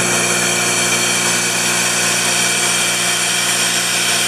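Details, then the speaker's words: 10 HP Worthington rotary screw backup compressor running after start-up. Steady high-pitched hum with constant whine and airy hiss, no knocking or rattles; runs evenly and healthy. "This is the backup Worthington backup compressor. Same thing, I'm going to start it up. And so you can see it's running. Yeah, there it goes."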